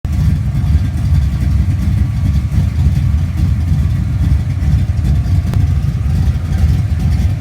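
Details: 1967 Ford Mustang street car V8: lumpy, deep, loud idle with a faint puffing tick on each pulse from a small exhaust leak.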